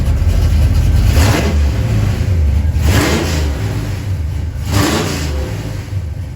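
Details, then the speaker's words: 1977 Chevy Camaro V8 with new Pypes Violator exhaust and torque converter, phone recording: three crisp blips to about 3000 rpm over strong rumble, no popping or rattles, loud, no leaks; normal revving. "Oh, that sounds great. That's loud. That's only going up to about 3,000 RPM with it."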